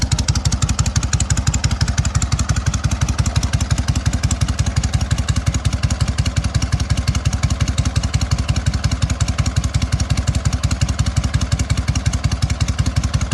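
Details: SOKÓŁ 1000 motorcycle after full rebuild, briefly warmed; steady even thumping about three beats a second, no knocks, howl or grinding from the 12V generator; idles cleanly.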